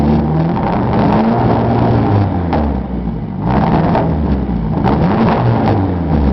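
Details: 1995 Eagle Talon TSi, DSM 4G63, 200 miles after new timing and balance shaft belts: uneven lumpy idle that sags and stumbles with sharp backfire pops, then dies; owner suspects it jumped time or needs an ECU.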